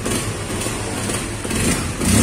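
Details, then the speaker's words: Honda CB150R fuel-injected motorcycle that died on sudden throttle, stumbled at low revs and had an unstable idle; after replacing the ignition coil with a Vario 125 coil it idles steadily and revs cleanly without dying. "ini udah saya ganti pakai punyanya Vario 125 dan alhamdulillah teman-teman sembuh ini wah Alhamdulillah ya Allah sempurna teman ternyata koilnya ini stasioner anteng"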